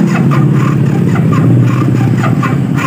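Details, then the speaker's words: Yamaha Byson motorcycle, starter relay jumped with key on, battery about 13 V but dropping drastically under load: starter groans in slow, uneven pulses near four a second and never catches; owner suspects a weak battery or faulty starter motor. "Tidak kuat ya. Ini ada dua kemungkinan di bagian sini ya."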